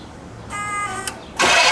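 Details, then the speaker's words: Pontiac Bonneville (Pontiac 455), start attempt after pumping accelerator pump, carb leaking, throttle clip missing: steady starter whine about half a second, pause, then loud rush as it turns over; result unclear. "I cranked it over, tried to get some gas in there. Hit the accelerator pump a few times."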